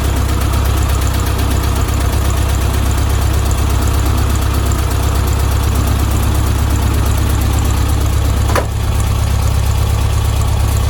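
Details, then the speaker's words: 1972 VW Beetle 1200 air-cooled flat-four, first start after oil change and valve timing recheck: steady low even putter at idle, one brief click, no knocks; oil pressure good, no leaks, normal idle. "so let's take this back on and start her up [Music] sounds good to me"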